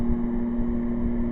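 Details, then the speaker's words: Air conditioner on low, powered by solar via 12 V 1100 W inverter: steady low electrical hum over fan rush, quieter than on high but present, blowing cold. "you can still hear the home but it's not as bad as if when it was on high and yes it is blowing coal"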